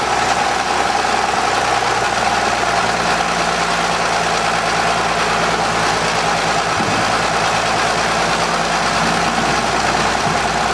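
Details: 1920 Seagrave fire engine, freshly fully rebuilt and exposed, at its first start in 60 years with the compression release off: a slow, even idle with a steady low note and no knocks or misses. Normal, healthy idle.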